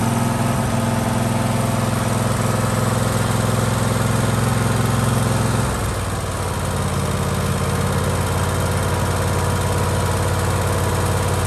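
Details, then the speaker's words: Husqvarna LGT2554 riding mower, Kohler Courage 25 hp, after fixing surging inside the carburetor (jet under the plate): engine holds a steady even beat with no hunting; surging gone, normal steady running. "As you can see, all the surging is gone. It has not run like that before."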